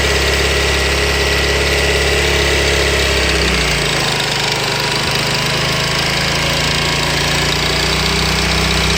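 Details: Honda VT250 Spada engine, cold, around 3000 rpm: held at mid revs then pitch drops, rough irregular knocking that is most noticeable when cold and disappears after warm-up; abnormal cold-engine noise, cause unclear.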